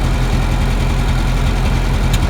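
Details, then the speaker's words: 1952 Ferguson TO-30 with Continental Z-series four-cylinder, before rebuild, known bad water pump: even, steady idle with no knocks or misses and good oil pressure, but it starts smoking and the smoke gradually gets worse. "see it sounds good it is starting to smoke a little bit and gradually getting"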